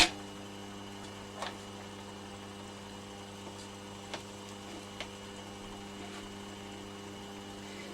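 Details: Vintage Petro Scott reel-to-reel tape recorder, AC bias 2-track mono, playing: quiet steady low hum with buzzy overtones under tape hiss, constant; failed filter capacitor letting mains ripple through, fixed by replacing it.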